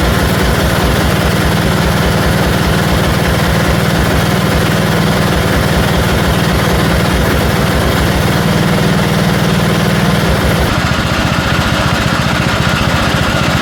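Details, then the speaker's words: 1974 Dynastar lawn tractor after revival from 30 years sitting, engine freshened, magneto coil replaced: single-cylinder thumping steadily about 98 beats a minute with slight uneven gallop; engine hunting, owner thinks more carburetor work is needed. "I think I'm probably going to have to do a little more carburetor work on it uh it does have a slight galup on it needs to be worked out of it"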